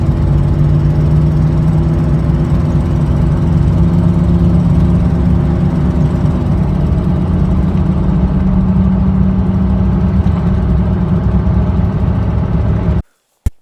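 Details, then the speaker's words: Chevrolet Silverado idling before repair with an exhaust manifold leak. A deep rumble carries a rapid ticking puff on each firing pulse, about three per second. "Today we're going to be working on, we actually have a manifold leak, as you could hear in that first clip there."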